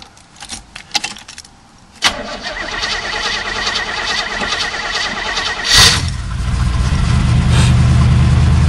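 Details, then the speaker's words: 1978 Oldsmobile Cutlass 403 V8, sat about six weeks: cranks, fires and idles with uneven stumbling beat, still missing but no knocking; cylinder misfire at idle, cause unconfirmed. "yes still missing still missing but it's not knocking no knocking distributor clicking"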